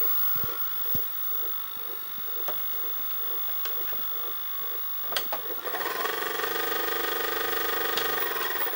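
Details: Panasonic NV-SD430 VCR (Super Drive, Z mechanism): a small mechanism whirs with light ticks about three a second, then a louder steady grinding whir. Abnormal mechanism noise of unknown cause.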